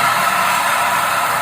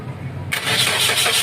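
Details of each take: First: Automatic Suzuki Ertiga running with AC on: loud steady roaring hiss like a jet, no rhythm; AC compressor pulley bearing found seized, belt tensioner fine, noise present with AC on and off. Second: Suzuki R3 automatic after repairing the AC compressor and refitting the fan belt: starter cranks, engine catches and settles to a quiet even idle, no squeal or roughness; healthy.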